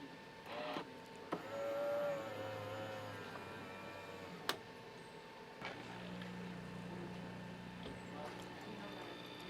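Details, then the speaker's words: Smeg super-automatic espresso machine (BCC01/BCC02), right after switch-on: clicks, a brief whir, then a steady low pump hum with water moving; the machine's normal automatic startup rinse cycle. "So it's done itself a rinse cycle since it's turned itself on. So the machine, I believe, is now ready to go, which is great."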